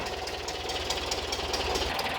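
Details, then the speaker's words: 1976 VW Westfalia Type 2 bus, freshly swapped used engine just after first start: light, fast ticking about five a second over a busy idle. Thought to be hydraulic lifters still pumping up; small exhaust leak also suspected. "I think it's a little lifter noise. Oh, they pump up. It's hydraulic lifters. It just takes some time"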